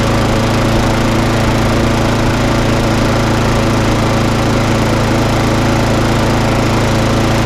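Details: Briggs and Stratton lawn mower, previously failing to start and running very rough, run up after a quick repair; steady even drone at constant speed, no surging or popping; normal running.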